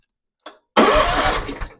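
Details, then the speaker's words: 2016 Hustler Super Z 72-in zero-turn mower that smoked and shut down, with failed electronic PTO clutch removed: brief click, then engine spins over freely, showing it isn't seized; engine cranks normally. "Spins over freely."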